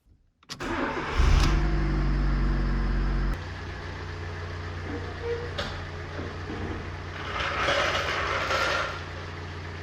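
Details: Fiat Seicento with a recently rebuilt engine, after crash front-end repair and oil filter change with fresh oil: quick crank catches cleanly and settles into a steady, even idle with no knocks, misfires or hunting; healthy start.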